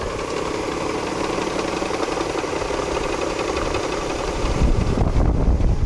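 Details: 1994 Ford Probe GT 2.5 V6, cold start: hard steady knocking about four times a second until warm; owner first suspected rod bearings, but replacing timing belt, tensioners and water pump fixed it; worn timing belt tensioner.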